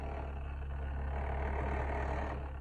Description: Refrigerador Samsung RH58k com barulho no motor. praticamente uma motosserra.. uma DT180..